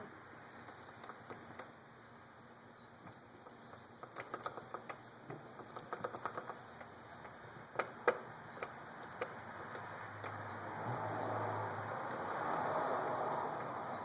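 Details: 2006 Yamaha R1 drive chain making light, fairly even ticks about three or four a second while running, like the chain touching something.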